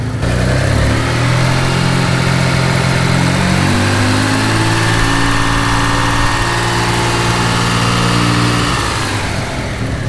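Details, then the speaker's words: Mitsubishi 3000GT VR4 built turbo engine idling steadily with a low, even hum and no squeak or whine; the earlier squeak is gone, owner suspects the water pump, with play noted in cheap aftermarket pulleys. "the noise is gone that initial squeak i'm almost positive come from the water pump"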